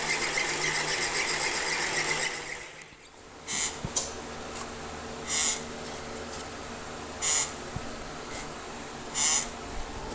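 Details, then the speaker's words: Elite Suito bike trainer, used six months: sharp high squeaks about every two seconds with each slow pedal turn, from the rear sealed bearing's plastic race guard shedding small plastic particles. "it's like a lot of sealed bearings that is where the squeaking was coming from"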